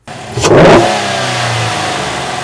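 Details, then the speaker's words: Chevy Silverado start-up just after installing a K&N 63 Series air intake that replaces the OEM filter and box. Clean start into one sharp rev with a loud intake air rush, settling to a steady, even idle; engine sounds healthy. "Okay guys, you heard it there. Sounds really cool. You can hear a lot of air going in there."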